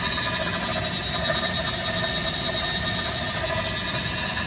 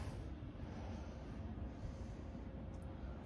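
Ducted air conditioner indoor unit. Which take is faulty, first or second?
first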